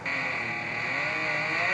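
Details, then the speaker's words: Bike on homemade generator/trainer resistance unit, racing slick tire under-inflated: steady high hiss and hum from the tire on the roller, building with speed; quieter than a mountain bike tire, more pressure should quiet it further. "Now, I didn't pump up this tire a whole lot, so it's probably still going to make a bit of noise."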